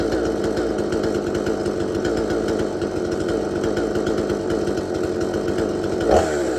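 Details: Extremepower 8200XP 45cc chainsaw with a 22-inch bar, about a year old and fitted with a non-original carburetor: an even, high buzzing two-stroke note holding steady without surging or stumbling. Normal running, clean.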